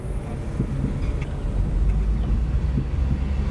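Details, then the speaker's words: 2016 truck with magnetic ride suspension, 150,000 miles, on an auction test drive: a few dull, hard, irregular thumps from the rear under road rumble. It shifts and runs fine; cause unknown. Clunk over bumps. "well there's something in the rear like it's a hard thump okay I'm gonna turn it around dang it"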